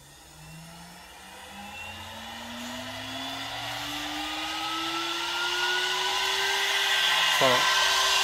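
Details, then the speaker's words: Air-cooled 1.5 kW 110 V CNC spindle on a 2.2 kW VFD with reworked cabling, run for a five-minute test: a clean whine climbs smoothly about seven seconds, then holds steady with no rattle. The spindle sounds healthy. "so from here you can also have idea how loud is the air cool spindle"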